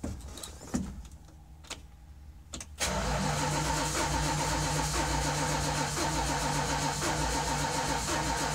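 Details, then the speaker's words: 1973 Dodge W200 after almost a year sitting with a dead battery: the starter spins the engine evenly after a few clicks, but it never fires; owner suspects no spark, possibly a weak battery. "that sounds like it's just not getting spark which could very well be it's not kicking off anymore starting fluid"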